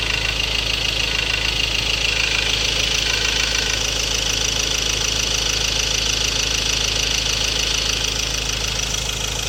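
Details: 2016 Ford Ranger 2.2 XLT 4x2 manual Duratorq diesel: fast even metallic rattle about three per second at idle; fuel knock, possible injector problem, unresolved by the dealer.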